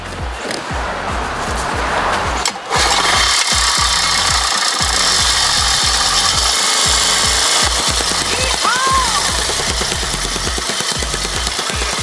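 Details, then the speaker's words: Mikasa 75H tamper with Robin 12D two-stroke after repair, CJY plug instead of hotter CJ8, air filter on, started without choke with the petcock off: fast, even pounding about three thumps a second, no misses; running good. "don't know where the off button is that was with the petcock gas off so actually running good"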